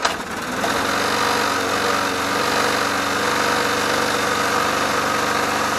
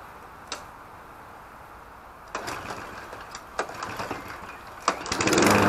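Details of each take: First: Mountfield HP454 petrol lawn mower with a reported oil leak, unstarted for over a year, runs with an uneven, lumpy beat around four pulses a second that wavers, then cuts out; running rough, owner plans to replace the carburettor diaphragm and O-ring. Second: Petrol lawn mower (Briggs & Stratton or Mountfield HP454 pair), not started for over a year, fuel added, no primer bulb found: several separate recoil pulls, then the small engine catches and starts running.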